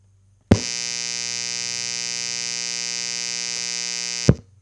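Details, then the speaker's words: Guitar amp powered from the Bluetti Pioneer Na AC inverter output, boosted about 9 dB: steady raspy electrical buzz, clearly worse than on grid power; significant noise injected by the inverter, line conditioner advised for amps or radios. "Okay, yeah, pretty clear difference here. I would say that there is a significant amount of noise being injected from the AC inverter output."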